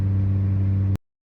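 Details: VW Rabbit with a stock 1.6 L turbo diesel and a big turbo, driving, with a short, steady, deep drone and no knocks or whistles. Sounds healthy, but this was its last run before the turbo failed during a highway pull at 11 PSI.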